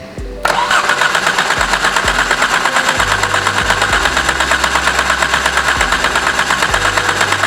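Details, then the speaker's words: Exocet/Golf R after the stuck-open injector problem, fuel pressure at 60 psi. Steady, even compression chugs while cranking that never fire; cranks, no start, with the crank sensor suspected and something not getting power. "I don't know what's gonna happen if I try and start it now. Doesn't sound like it's gonna happen."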